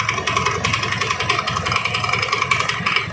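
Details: Honda Beat carburetor scooter with a rough, uneven rattling knock about three a second from the CVT: oil-soaked slipping drive belt causing knocking and slipping.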